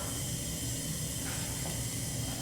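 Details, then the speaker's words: Gen 1 Suzuki Hayabusa with an ignition miss, leak-down test on cylinder 2 or 3 at top dead center, 100 psi in and 98 held, so 2% leakage. Faint, steady air hiss with no strong rush; the cylinder is sealing well. "i don't know if you can see this but with this set right at 100 we are looking at 98 so two percent leakage so far"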